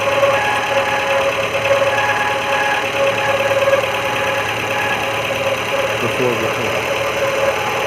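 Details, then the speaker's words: Maruti Gypsy at idle with a rough grinding growl and faint steady whine, suspected worn alternator bearings; the noise went away after the alternator was replaced. "A loud grinding sound is heard, maybe a worn-out alternator. Bearings."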